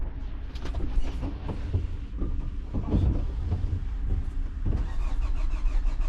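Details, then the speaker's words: 2011 Hyundai Sonata crank no start: uneven churning crank that never catches; a test light shows power at the pump but no fuel pressure builds, so the fuel pump has failed. "So, looks like we have a bad fuel pump. Let me just make sure we're really not building fuel pressure."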